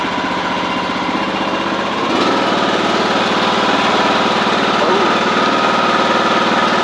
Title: John Deere d110 cold start. Clicking noise?